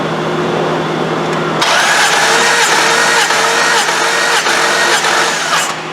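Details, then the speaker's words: Dodge 4.7 V8 during rebuild inspection, compression test cranking: fast, slightly uneven cranking about three and a half beats a second; cylinder six lowest at about 120 versus 145–150 elsewhere, leak-down test planned. "so I want to leak down text cylinder six because it's the lowest has the lowest compression to all the cylinders"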